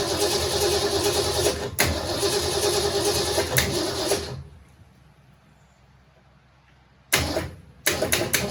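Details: 1967 Mustang C-code 289 V8, four-speed, after a new fuel pump and filter: revs with uneven surges, dies, then cranks and catches again. Owner says it has carburetor issues but it runs; cause suspected, not confirmed.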